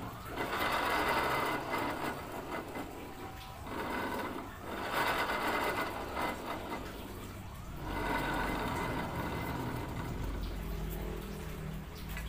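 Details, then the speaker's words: Honda Beat FI scooter, engine off on the center stand, rear wheel spun by hand: a coarse, gritty rumble in surges from the final drive, traced to a worn pulley bearing. "Katakanlah kondisi mesin mati di standar 2 roda belakang kita putar suaranya Kasar banget itu di bagian gardan"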